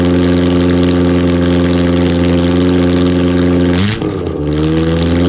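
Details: Rebuilt Ford OHC Pinto 202-block engine (205 rods, thin-top-ring pistons) on chokeless test Weber 32/36 DGAV carb; strong even note holding steady, quick rev blip, settling back smoothly; healthy engine revving cleanly.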